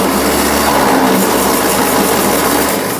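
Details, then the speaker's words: 1952 Ford 8N tractor, possibly 70 years old, cranking: slow labouring crank with harsh grinding rasp fading as it loses speed; owner suspects starter clutch slipping or starter burned up, plans a new starter, not confirmed. "if there's a starter clutch. It sounds like something's slipping. That's really weird."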